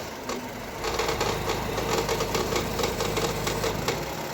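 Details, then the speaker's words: Chevrolet Cobalt 1.5 B15D2 engine: sharp, rattly, uneven knocks two or three a second over idle, sounding like the engine is falling apart; caused by a failed, dirt-clogged belt tensioner pulley assembly, fixed by replacing pulleys and belts. "Ну что такое не могу поймать вот такой вот звук как будто двигатель сейчас развалится"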